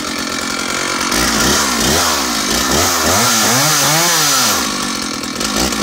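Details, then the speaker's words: Stihl 056 AVSEQ 87cc early-80s chainsaw revs up and down in smooth even sweeps, then drops cleanly back to a steady idle beautifully quickly; healthy big two-stroke. "So she comes back to idle beautifully quickly"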